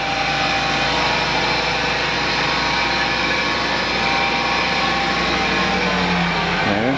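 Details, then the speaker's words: 1994 Ford F150 long-bed, 5.0 V8 fuel-injected, 5-speed manual, under 118,000 miles, cold start after sitting about 24 hours: steady, slightly raised fast idle with even hum, no knocks or misses, slowing on its own. Normal cold fast idle. "started up cold. Runs a little high idle while it's cold, and it slows down on its own. It's fuel injected."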